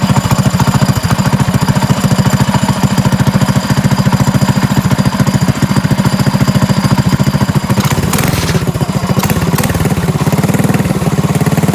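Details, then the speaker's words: Trike with a small single-cylinder engine, pull-started and idling: a steady hard knock on every few beats; owner unsure if top or bottom end, later found to be the clutch. "okay so I think the knock is still there but it's I'm not sure if it's a top end or a bottom end knock it might be at bottom end"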